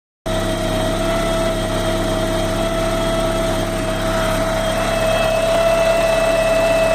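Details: Porsche 944 engine at idle: steady high whine holding one pitch, rising slightly near the end, with a faint hiss behind it; source unclear.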